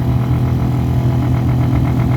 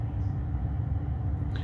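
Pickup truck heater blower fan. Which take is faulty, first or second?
first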